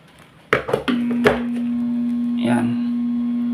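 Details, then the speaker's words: Centrix 45 W stand fan on speed 3, not spinning: steady low electric hum, blade spun by hand turns then slows and stops; weak running capacitor and worn bushing/bearing. "Umikot siya pero unti-unting mabagal at humihinto. So ang diagnose ko dito mga master ay itong capacitor niya ay mahina na"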